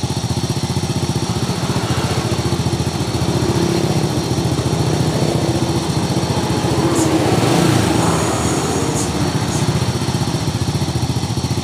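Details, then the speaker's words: 2001 Honda Supra X single, idling: rough busy metallic rattle over every firing beat around the cylinder head; cam chain, tensioner roller and valve clearance to be checked, cam chain found tight. "Ya, bunyi kemericik di sekitar silinder head. Nanti kita cek keadaan rantai keteng, roll keteng, dan setelan klepnya."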